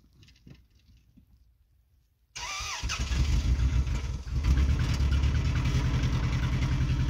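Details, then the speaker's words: 1999 Toyota Camry LE after rod-knock repair with rewelded piston, cold start at seven degrees: catches then lumpy, skipping idle on three cylinders, one dead cylinder. "oh check engine light it thinks it's misfiring oh we're losing we're losing power fast"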